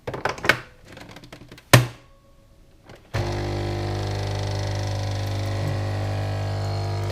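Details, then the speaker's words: Dolce Gusto capsule coffee machine with refillable substitute capsule: handling clunks, then steady low pump hum as coffee flows through the capsule; a faint hum was noted as a possible pressure problem after hard needle insertion. "od razu lepiej słychać jak kawa przelewa się przez nasze naszą kapsułkę"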